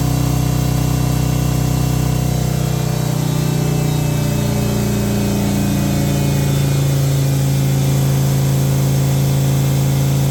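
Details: Harley M8 107ci V-twin just reassembled after S&S oil pump install for sumping issue: deep, even rumble holds steady with brief pitch shift midway, no knocking or rattle; runs healthy.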